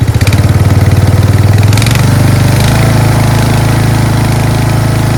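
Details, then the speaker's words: Craftsman 13.5HP 30" rear-engine riding mower after replacing a collapsed fuel line (valves also adjusted to spec): single-cylinder settles from a lumpy start into a smooth, even idle with steady firing beat; runs properly. "A collapsed fuel line. Smallest, cheapest little thing was the culprit of this thing not running well."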